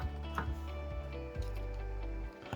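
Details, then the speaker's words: HDL electric door lock energised with the door closed and latch held under pressure, simulating a blockage: steady low buzz but no click open. "eu vou simular o defeito como se tivesse alguma coisa bloqueando vai acontecer isso"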